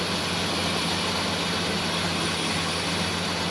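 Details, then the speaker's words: 1996 Ford Ranger 3.0L V6 at idle with misfire: loud steady hiss over low rumble from a huge vacuum leak, a destroyed vacuum hose; plugging it makes it run much better, remaining stumble suspected to be sticking injectors. "I think it's a timing issue, and these, I gotta do some more looking. Has a huge vacuum leak."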